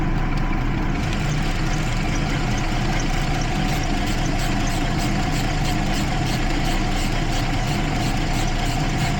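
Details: 2012 Jeep Liberty 3.5 L V6 idling with an uneven, stumbling beat; misfire on cylinders 1 and 5 after a coolant leak soaked the engine bay; ignition spark leaking outside the cylinder in the waste-spark system.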